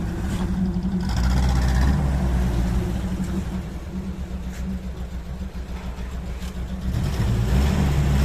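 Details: UAZ 31512 with UMZ-417 engine idling low and lumpy, one firing pulse repeatedly dropping out. One cylinder has zero compression while the other three read 5.5, a dead cylinder.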